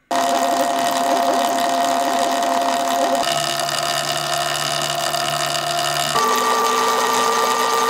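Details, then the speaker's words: Sur-ron LBX electric bike after adjusting belt tension to about 0.5 cm of play. Even motor hum with a soft high tone. Most of the belt whine is gone, leaving faint chain ticking now easier to hear; the drive is properly tensioned. "as you can hear most of the belt sound is gone and the bike sounds a lot less winey"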